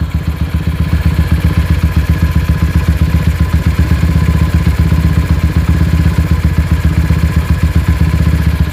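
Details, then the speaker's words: Honda GL single-cylinder motorcycle, engine warm: idle unstable, hunting up and down, needs high rpm to hold idle and dies when clutch pulled after riding; rattling knock when hot; ignition timing and pickup suspected. "Oke dia itu sudah ketika mesin mulai hangat ataupun dia itu sudah menginjak musim panas stabilnya mulai tidak stabil ya naik turun naik turun"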